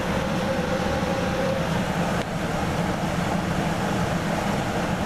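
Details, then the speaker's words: Coleman DGAA077BDTB gas furnace after replacing the combustion air inducer (booster) fan, relit and running: steady, even rushing hum with a faint constant tone, no rattles or surging; normal furnace operation. "Well, it's running, and we'll finally have heat. Yay!"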